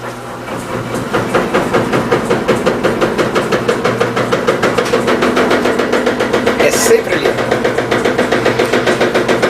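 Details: Electrolux LT15F washing machine during spin, rear suspension suspected: rapid regular knocking about three and a half per second in step with the drum, noise unchanged from before; drain hose slapping the cabinet, tub bouncing upward.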